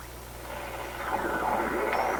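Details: Recently restored 1934 Atwater Kent 944 tube radio on checkout, dial near 1500 kc: hissy, crackly AM reception with a thin high whistle creeping in over the station. Heterodyne on every signal; cause suspected, not confirmed.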